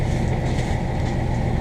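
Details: New diesel just installed in a Morgan 41 Out Island sailboat, already run about an hour by the installing mechanic: low, even diesel rumble at idle with a little wind over the mic, smooth and steady, a healthy idle.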